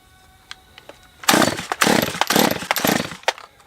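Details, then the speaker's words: Stihl MS194T chainsaw with fuel issues, previously no start: catches in ragged bursts, revs flare and drop about twice a second, then dies; owner suspects air leak (sucking air) or spark. "Well, it may be spark, or it may be sucking air. It's hard, you can't see anything. This sounds like it's sucking air still."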